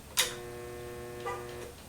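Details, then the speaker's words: Sand Dollar two-speed pool pump switched on at low then high speed: a switch click, then a steady hum with lights dimming and no start; suspected failed capacitor, though a seized motor or bad bearings must be ruled out. "Now, you can see the lights will dim here and I'll get a hum. Now, now when you get that hum, okay, you think to yourself, okay, well, Joe's saying it's a capacitor."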